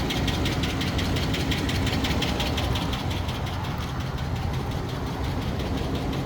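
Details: Hemi V8 ticking at idle only when hot, with no check engine light and no misfire: light, quick ticking about three per second over the rumble; Hemi tick or exhaust manifold leak suspected, not confirmed.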